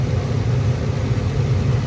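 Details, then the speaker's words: Attic gas furnace after repair of the only-one-burner-lighting fault, with gas pressure adjusted to just under the 3.5 spec and cycled repeatedly. A steady, even low roar with no puffing, rumble or flutter; all burners lit and burning cleanly. "So I've turned it on a bunch of times. Everything seems to be good. As you can see, it lights up normally now."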